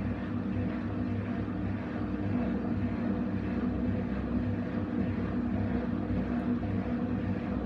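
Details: Essentials C510WM14 washing machine in high-speed spin: loud, steady aircraft-like roar with a low rumble underneath; failed drum bearings.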